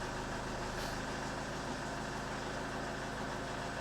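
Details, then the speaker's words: 2012 Ford Mondeo 2.0 TDCi diesel idling just after an oil and filter change with just over 5 litres of new oil, started without revving; oil pressure light went straight out. Steady, even diesel clatter with no knocks or rattles. All sounds normal. "All sounds normal. Right, that should do. Just wanted to let it tick over so the oil can circulate around that filter and fill up all the galleries."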